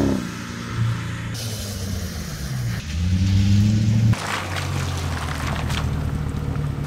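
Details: 2001 Mercedes W210 E55 AMG V8 accelerating after a $6.99 fix cured a months-long intermittent misfire caused by a backed-out bolt. Hard, clean pull with even gear changes and no miss.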